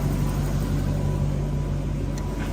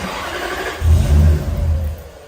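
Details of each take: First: Toyota Soarer/Lexus SC400 1UZ-FE V8 after idle-control fix: smooth, steady low idle with even beat, no hunting or misses, revs picking up as ECU relearns timing; sounds healthy. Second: Toyota Soarer / Lexus SC400 1UZ-FE, 1994 vs 1995 ECU and wiring differences, won't idle without throttle. Engine fires with a brief uneven surge, holds about a second, then dies: stall after start.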